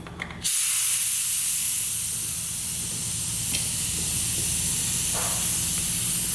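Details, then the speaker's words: 1995 Honda CR250 two-stroke, engine stopped, during a leak-down test with soapy water: loud steady hiss of escaping air, pressure gauge needle dropping fast. The leak was found at the gauge attachment; Teflon tape reduced it. "there's one right here that's a big bubble for me yeah there's a leak right here"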